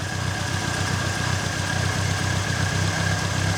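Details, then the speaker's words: Reliant Fox after fixing the exhaust downpipe joint and reattaching carburetor springs and breather pipe: steady even low idle putter about four beats a second, no puffing or ticking; smoothest it has ever sounded. "how smooth does that sound she has never sounded that smooth"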